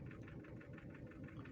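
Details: Toyota EFI petrol engine at steady idle during on-the-spot testing for a hard-start, rough-idle and missing complaint: an even idle with a soft regular pulse and no misses or stumbles, so the engine is settled and smooth.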